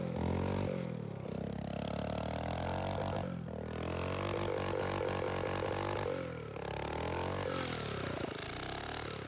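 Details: Tecumseh OHH50 single-cylinder rebuilt for an original Manco American Express go-kart, fresh fuel pump setup, cold icy day: revs climb then sag and stumble as throttle opens off the line; owner suspects it needs a bigger main jet, fuel-starved bog.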